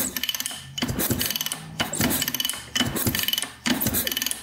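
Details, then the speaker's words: 1986 Honda CR250 two-stroke dirt bike, sat over five years, kickstarted before a compression test: strokes about once a second with light ratcheting clicks and no scrape or bind. Good spark, and it turns over freely and smoothly. "oh yeah wow we got good spark kicks over really smoothly too"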